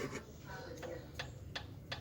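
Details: 2018 Fiat Mobi engine with noise on cold morning start, piston rocked by hand: sharp metallic clicks about three a second; all pistons have clearance, cylinders one and four most, causing piston slap.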